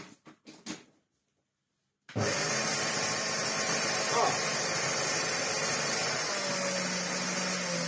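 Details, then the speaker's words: Well-used Hoover Turbopower 2 Autosense bought as spares or repairs, first switch-on with the belt off and hose removed: after switch clicks, a sudden harsh loud roar and hiss, rough and strained; the motor is completely burnt out. "Well, what that is, folks, is, burnt out completely. That is not a happy Hoover Turbopower 2 motor."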